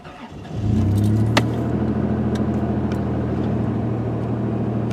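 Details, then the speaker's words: Engine with lifter tick, cold start the morning after adding STP oil treatment. It catches after a brief crank and settles to a smooth, even fast idle with no top-end tapping; a faint tick returns later. "far I'm not really hearing it it's good let's go ahead and stick it in drive"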